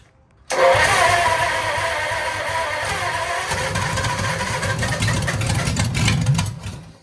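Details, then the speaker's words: Lincoln V12 flathead after engine-restore treatment, compression about 90–92, plugs reinstalled: starter cranks with ragged sputtering firing that never settles, lots of smoke; furthest it has ever got, low compression from poor ring seal suspected. "All right, well, that's the furthest it's ever gotten. Let's try it one more time. Certainly a lot of smoke."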